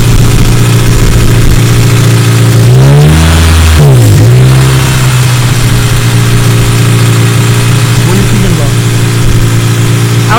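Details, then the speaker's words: Smooth, even idle with one quick clean rev, no hiss or stumble; earlier hissing near the first-cylinder injector (only cylinder one was misfiring) now gone, owner suspects a tiny mist leak; normal idle. "so i think it must have like i don't know it's better to me i don't hear the hissing at all"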